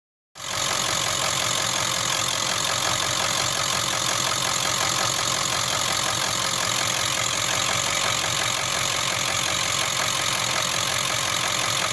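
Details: Ford OBS 7.3 diesel idling with a harsh, bright clatter and uneven knock of about three to four beats a second: engine knocking.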